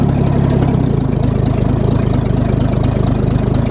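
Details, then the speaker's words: Ford bullnose truck 300 inline six after one-barrel to two-barrel carb swap, cold: low even pulsing idle, no knocks or misses; idle a little low, formerly idled around 1100 rpm. "I think it's gonna idle. Imagine that. Right on. The idle's a little bit low, but that's all right."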